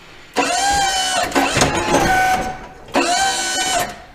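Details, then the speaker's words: Boss V-plow, 8'2" with wings, in a warm shop after the hydraulic pump motor was taken apart to chase a howl/chatter: two short pump motor runs, each a steady mid-pitched whir that starts and stops cleanly. Normal pump motor run. "haven't had to do that weird noise since it's been in the warm shop"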